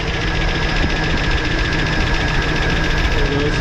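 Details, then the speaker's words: 2004 Chevy Silverado just restarted after crankshaft position sensor replacement: busy steady idle with fast light ticking over the engine note, sounding like a valve tick; cause unconfirmed, owner thinks it may just need to be run a bit. "it's got kind of a tick if you can hear it almost sounds like a valve tick so maybe it just needs to be ran a little bit"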